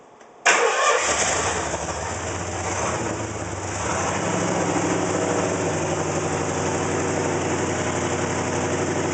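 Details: Engine with 301 cranks briefly, catches and settles into an uneven, lumpy idle; rough idle, cause not yet pinned down.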